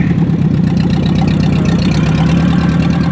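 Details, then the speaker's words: 1944 Ford 2N tractor moving in second gear at light throttle, carburetor being tuned: steady, even low putter with no stumbling or surging. She's a lot happier; normal running. "Oh, she's a lot happier."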